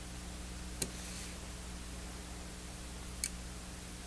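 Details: Zotek ZT-703S handheld oscilloscope/multimeter failing at auto acquisition on a 2 kHz signal: a faint electrical hum with three sharp, isolated relay clicks a few seconds apart as it switches ranges without settling.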